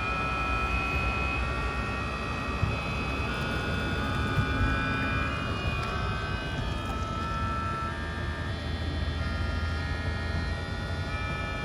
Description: This is a 2018 Tesla Model X that makes vibration noises when the AC compressor is running.